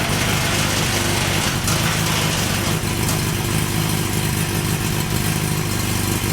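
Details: Honda CB900 Custom at first start after a suspension upgrade and exhaust refit, having had a sticky float on one carb: loud, steady idle with a busy, even exhaust beat and no knocking or stumbling; normal idle.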